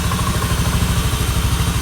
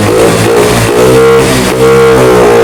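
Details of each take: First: Honda Beat FI (ACG automatic scooter) revving fast and holding high with no drop to idle; throttle (gas) is sticking and not returning, making the engine race, to be fixed alongside the owner's complaint of sputtering, bogging and flashing MIL. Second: Honda BeAT FI digital scooter (ACG matic) after repair: repeated blips rise and fall cleanly, revving freely without stalling; MIL no longer blinks and bogging on acceleration gone, though it still bogs at full throttle from another cause.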